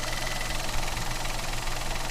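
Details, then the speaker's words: Citroen C3 1.2 12v at idle after repair: earlier pressure-cooker-like hissing from behind is gone; steady, even low rumble with no hiss or sucking; normal idle. "ele tinha um barulho parecer uma panela de pressão desfiadinho que vir aqui de trás agora parou não tem mais aquele barulho era aquilo ali mesmo"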